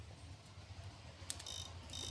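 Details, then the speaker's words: PDC Poliwang fish-shocker inverter after the buzzing fix, casing screwed closed, running under load: a low, steady hum with a faint high buzz, no longer noisy as before. "Hasilnya sempurna. Suaranya tidak berisik sama sekali seperti saat pertama kali kami mencobanya tadi."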